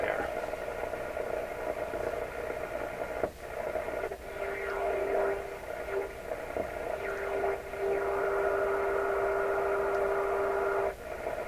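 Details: Electrohome tube radio tuned around 1411 on the AM dial: hissy signal carrying steady tones, reception fading briefly but mostly holding steady; set receiving normally.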